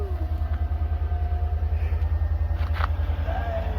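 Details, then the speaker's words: Cadillac as delivered, battery assumed dead, started up: steady low rumble with an even pulse of about 200 per minute and no knocks or misses; engine runs fine. "all right she sounds good enough"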